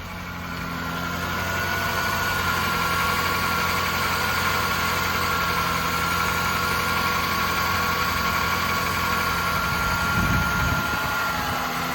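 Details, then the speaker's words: Auction Lexus SC430 V8 fires right up after a new serpentine belt and battery; the earlier squeak is gone. Smooth, even idle with a steady low rumble and no belt squeal or chirp; healthy idle. "Sounds good. Sounds really good."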